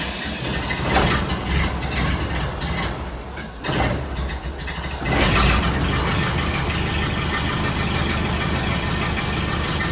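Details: 1931 Ford Model A pickup four-cylinder after reverting to the old distributor with rotor-to-points gap checked at about .026, following misfire troubleshooting and distributor cap part swaps: after a rough catch and a couple of blips, it settles to a steady, even idle with no missing beats.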